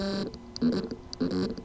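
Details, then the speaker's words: Hard drive: short buzzing bursts every 0.6 s as the spindle motor spins but cannot reach full speed, due to loose motor contacts; fix is resoldering or replacing the PCB. "symptom the motor can mean but cannot reach its full speed cause lose motor contacts solution Reece order replace the loose contacts or replace the PCB here is the sound from the lose motor contacts problem hard drive"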